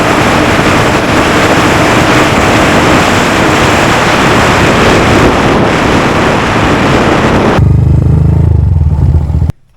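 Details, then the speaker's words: Honda Grom after DHM S1 camshaft install with valve clearance adjusted, aftermarket exhaust also fitted; small single revving hard, pulling cleanly through the gears, faster to speed and stronger holding the 60s, smooth steady firing, no knocks; normal running. "right, so we've got the cam installed. Boy, as you can see, we're cooking now. We're getting up to speed a lot quicker. We're holding the 60s much stronger."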